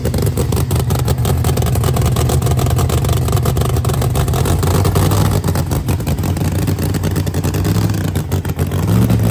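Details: New Promod race engine, first fire-up after install: loud lumpy big-cam V8 rumble holding steady and pulling evenly, no knocks or misses; fresh engine running clean.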